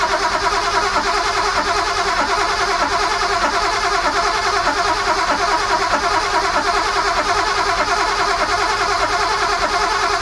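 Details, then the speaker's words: Sunseeker XPS 25 powerboat, port BMW B220 engine, on a water supply at zero throttle: the starter spins the engine evenly for ten seconds but it never catches. Fuel was not primed; the fix was pumping the priming pump on the fuel filter water separator until hard. "but I found on top of a fuel filter water separators it's that priming pump and I just pumped that until it went hard I could hear petroly noises in here"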